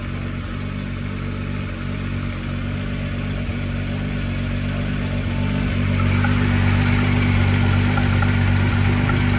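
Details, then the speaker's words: 1992 VW Corrado right after a head gasket change, new valve seals and lapped valve seats: first start settles into a steady, even idle with a smooth low hum and no knocks or misses. Coolant is flowing. "Oh yeah, there you go. So it started up nice. That's good."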